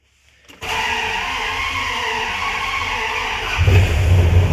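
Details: High-mileage flatbed truck, first startup of a replacement 5.9 Magnum V8 swapped in after the old engine knocked: the starter cranks, then the engine catches into a steady, even, deep idle with no knocks. Good oil pressure, charging, no check engine light.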